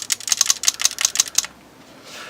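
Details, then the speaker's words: Paintball marker (Invert Mini) dry-fired with eyes turned off: about eight sharp crisp solenoid ticks in under a second and a half; normal solenoid click, silent when eyes are on. "so now when you press it it makes that solenoid clicking so if you can hear it and that isn't the trigger making the noise"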